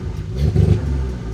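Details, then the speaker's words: Ford Focus ST-2, 99,000 miles, revved shortly after start: deep rumble chops and stumbles instead of climbing cleanly, really badly misfiring, black smoke, engine light on; cause not yet known. "So, it's really badly misfiring."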